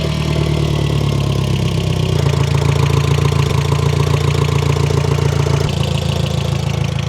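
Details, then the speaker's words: Audi MK1 TT 1.8T after aluminum radiator install, first start with battery tray absent: loud steady idle with constant droning whine from a power steering pump low on fluid. "we're definitely low on power steering. I was like, what? Something sounds loud, but it's my power steering pump, so I'm actually gonna fill that."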